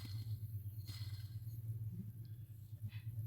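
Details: Ford Ka/Fiesta/EcoSport/Courier 1.0 Zetec Rocam flex, with A/C and power steering, noise from the belt area: belt tensioner pulley removed and spun by hand off the car gives a low rough droning hum with uneven pulsing, worn bearing.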